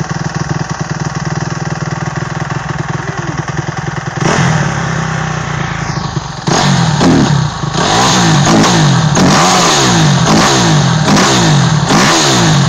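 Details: 2008 Kawasaki KX250F after overhaul: single-cylinder settles into a steady, even idle, then takes crisp repeated throttle blips with clean return; sounds healthy.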